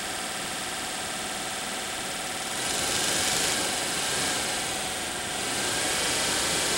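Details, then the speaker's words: Daewoo Nexia heater blower motor, bench-run on a battery after filing its worn brushes, which had caused lost speed then failure: a steady, even rush of air with a smooth motor whir and no scraping or ticking; it runs cleanly with good current draw. "О как подул вот как греются провода хорошее потребление"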